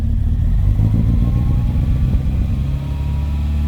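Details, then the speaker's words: Volvo 940 at first start after a camshaft and valve spring upgrade. An uneven, lumpy idle with an irregular stumbling beat, initially running on three cylinders before picking up the fourth. "we're running on three but sounds like we're on four now"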